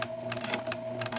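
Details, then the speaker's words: Pfaff Creative 1471 sewing machine after new battery, light bulb and needle, stitching knit fabric with rear walking foot: smooth, even whirr with steady stitching rhythm, no knocks or grinding; now sewing properly. "so I'm really excited that this is now sewing properly and the lady's going to have so much fun with her sewing machine"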